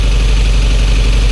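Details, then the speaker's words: 1988 Jeep Comanche Renix 2.5L I4, AX-4, after replacing a fouled spark plug: deep, uneven, lumpy, loping idle that still runs rough; suspected low compression in one cylinder. "That sounds just as shitty as it did before."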